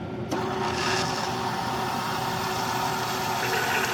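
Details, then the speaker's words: Keurig Mini K coffee machine, after pressing the brew switch repeatedly until it engages: steady rushing hiss with bubbling as water boils in the head, meaning percolation is starting. Normal brewing. "you need to press until you hear boiling in the head and that means that at this time it's going to start to percolate the coffee"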